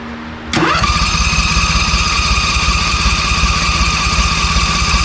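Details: ZT200 mower with a newly fitted replacement engine: it catches in about a second and settles into a steady, even run with no misses or knocks; healthy.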